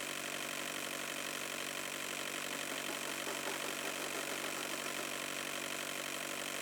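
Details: Chevrolet Tavera diesel idling with radiator flush product added to the coolant: faint, even clatter at a steady idle, with no hunting or extra knocking. Normal diesel idle.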